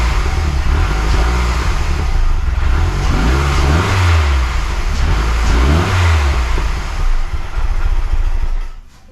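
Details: Mazdaspeed6 engine, freshly rebuilt with honed cylinders, just after first start: a deep hum with two clean throttle blips that rise and fall smoothly before shutdown. The rebuild revs healthy.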